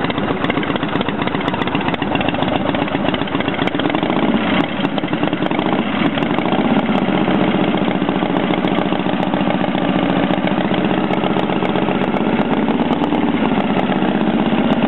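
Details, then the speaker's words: Motorcycle just started after a rebuild, outdoors on a warm Arizona morning: steady, even idle with a smooth, unchanging beat and no knocks or rattles; running good, normal idle. "well there you go running good couldn't be happier"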